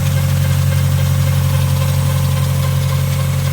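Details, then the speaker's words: Newly bought project car with an exhaust leak, at idle: constant low hum with a thin whirr over it that never drops out and changes with rpm. Owner suspects the timing belt; the cause is not confirmed. "let's see if you can hear the worring sound I think it's a timing belt but I'm not sure it definitely changes with the revolutions per minute of the engine"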